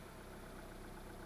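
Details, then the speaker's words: Mitsubishi 2.0 GDI 4G94 after clearing P220 and P1225 throttle codes (suspected throttle body position sensor) and cycling ignition: quiet, steady low idle hum with no misses, knocks or hunting; no faults, responding to throttle. "Yeah, so the faults are cleared. Responding to the throttle."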